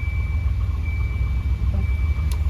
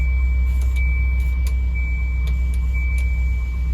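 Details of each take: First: Volvo 240/244 idling after a climate control vacuum actuator was plugged back in, with HVAC modes switched back and forth: steady even idle with two sharp control clicks and no hissing, so the behind-dash vacuum leak is fixed. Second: Revived Volvo 240/244 idling with a steady high hiss from a climate-control vacuum leak behind the dash, loudest in defrost and also in floor and recirculate modes. Replacing the 10mm input line, check valve and 3mm lines apparently made the leak worse.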